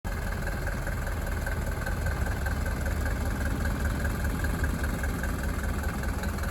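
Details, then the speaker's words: 1983 Mercedes W123 240D diesel at idle: low, lumpy idle shaking about two to three pulses a second; rough-running with shudder, valves long out of adjustment, suspected fuel delivery, timing or worn timing chain faults. "she needs an engine beautiful 1983 240b wonderful car but as you can hear a little bit of shutter coming from that engine"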